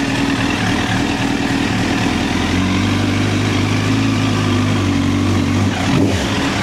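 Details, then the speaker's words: 2009 Honda CBR1000RR Fireblade four-cylinder at 61,211 km, started with a jump pack: steady even hum with a brief rev near the end, no misses or rattles; runs healthy. "Happy days. Well, that's a major relief. Stay tuned for next episode."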